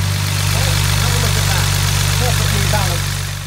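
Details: 1975 Mercedes 280SL with M110 engine, idling after a failed spark plug was replaced to fix a misfire: steady, even low hum with no stumble; smooth idle on all cylinders.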